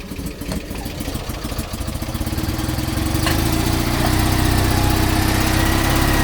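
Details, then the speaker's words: Invacar CVT with a new drive pulley fitted and very slack belt: engine note climbs with a rising whir but never pulls, with a burning belt smell; belt slipping, later traced to a wider pulley gap from a broken driven pulley spring. "whoa come back to horrible smell of burning belts h well this is not very good really I mean yes it works but I don't like that noise"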